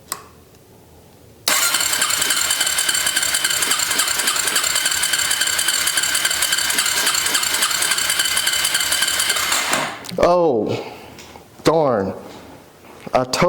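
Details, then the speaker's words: Suzuki LTZ250 Sport quad, carburetted, key on and fuel on: about eight seconds of fast, steady cranking that never catches; won't start because the choke cable wasn't hooked up. "totally forgot. I got to hook the uh I got to hook the choke cable up. My bad, man."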